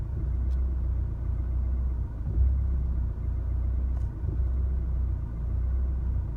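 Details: 2016 Chevrolet Colorado 2.8L diesel stopped in driveway after highway drive: low idle lopes and wavers with uneven surges every couple of seconds; settles after shifting to park and back into drive; cause unknown.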